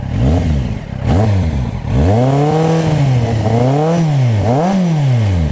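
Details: Motorcycle after engine refurbishment, earlier noise gone: blips up and down through revs smooth and clean, no knock or rattle; normal running.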